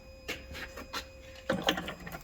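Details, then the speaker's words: International 9200 truck being stripped for parts, cab harness and grounds loosened with batteries still connected: short irregular buzzing and clicking bursts over a thin steady tone from the cab; owner suspects something inside disturbed by the loosened harness. "What's that noise? Probably something inside because we took this loose."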